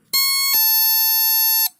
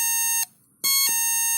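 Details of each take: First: NE555 DIY electronic doorbell kit after assembly with a replacement 555 IC, on 9 V drawing 87 mA; pressing and releasing the button gives two frequencies, a bright buzzy tone then a clean slightly lower tone held about a second, working properly. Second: NE555 DIY electronic doorbell kit tested across supply voltages, unusable at 3 V, fine at 4 to 6 V; at 7 V the high, buzzy tone cuts out briefly then returns with a harsh ring as it resonates in the loudspeaker.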